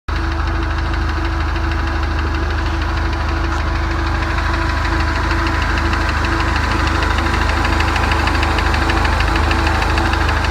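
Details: 2017 Ford Mustang turbo engine at idle: steady regular knock about three a second, even throughout, from inside the engine; cause unknown.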